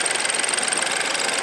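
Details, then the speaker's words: 2013 BMW 328i (F30), N20/N26 engine, idling after maintenance; metal valve cover and no beauty cover amplify its tractor-like sound: crisp, clattery ticking pulsing steadily with no misses or knocks; normal idle. "Also, yes, these motors sound lousy. Apparently, they sound like tractors, but since we put in a metal valve cover, that sound is amplified."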